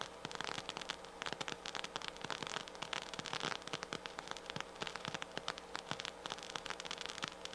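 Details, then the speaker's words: Harman Kardon 730 receiver, right channel: steady hiss with random crackles and pops through the speaker, worsening as it warms up; suspected noisy transistor, power supply or power amplifier fault, not confirmed. "you see it's starting to get really start to go to town when it warms up a little bit it looks like it wants to go negative which tells me that it's probably a power supply or power amplifier problem"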